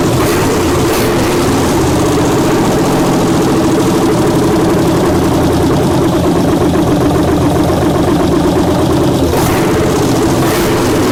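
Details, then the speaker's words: 1967 Chevelle LS-swap V8, first start, electric injectors, half the systems not hooked up: fires with a delay then settles to loud, steady, even idle, deep rumble, no misses, knocks or ticks. "it's got a wicked delay which I don't know why but probably maybe because we don't have half the hooked up half the stuff hooked up"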